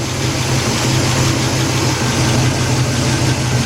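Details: 1977 Buick LeSabre 350 V8 after engine removal and gasket overhaul, warming up with choke not working, no antifreeze, timing just adjusted, smoke burning off: even rumbling idle with no misfires, ticks or knocks; runs healthy.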